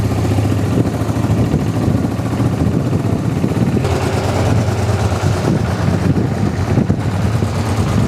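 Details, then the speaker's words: Honda XRV750 Africa Twin just revived after 10 years stored, running on reserve fuel after corroded fuel-pump fuse; steady, even low burble, no misses or knocks; smooth, healthy twin idle. "Oh my God, I can't believe I got it to work. It sounds pretty darn good."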